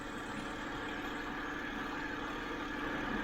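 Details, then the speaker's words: 2007 BMW 328i E90 after new electric water pump and thermostat, hot at 195.8 degrees, not overheating: steady, even idle with a smooth hum, no knocks, misses or squeals; running healthy. "as long as it doesn't overheat in a few more minutes then everything's fine and i'm done it's running good sounds good 195.8"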